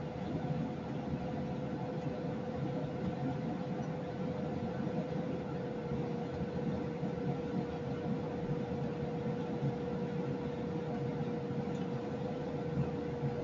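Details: Lennox EL296V variable-speed furnace, a few months old, microphone in basement then near upstairs kitchen register: constant whooshing air roar with faint steady hum, far too loud; cause not found.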